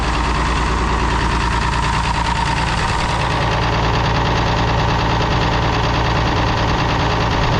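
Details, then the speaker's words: Galion crane International D282 diesel, just reassembled Roosa Master DBG injection pump, valves not yet adjusted: rough loud idle with breathy puff in beat; owner suspects bad valve on number 1 cylinder; exhaust wheeze. "Number 1, I think, is the one that's got a bad valve. I hear it wheezing."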